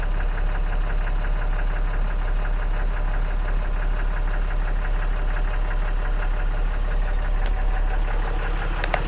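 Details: 2014 6.7 Cummins after CAT 1R-0750 fuel filter and housing install, primed to about 10-11 PSI: steady even diesel idle with light injector clatter, no misses; checking for leaks.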